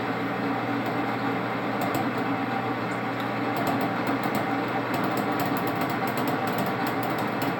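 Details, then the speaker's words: Lathe turning 4140 or 4130 steel, spindle slowed to 300 because the tool keeps jumping and popping: harsh, rattly cutting noise over a steady motor hum with sharp ticks and pops; the cut is chattering. "because it keeps jumping and popping and the material, I want to slow down even more. So let's go 300 and see."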